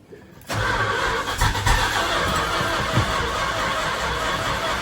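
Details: 1974 Dodge W100 with a swapped-in 383 big block: the starter churns steadily for over four seconds and it never catches. It was fuel-delivery trouble. Crank-no-start.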